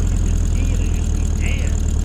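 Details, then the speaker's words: 1965 VW Beetle flat-four, 6 volt, 55,000 miles, after partial rebuild with new pistons and rings and a new clutch: steady, even low idle thrum with no knocks or misses; starts better now because it has more compression: normal idle. "You know why it starts better now? It's got more compression."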